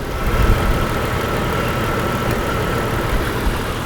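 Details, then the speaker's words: Jeep with month-long misfire that began on startup, checked with ignition scope: uneven lumpy stumbling idle; secondary ignition misfire, cylinder 6 worst, 4 also bad; plugs, wires, cap and rotor to be replaced. "Number 6 is the real bad one. Secondary ignition misfire."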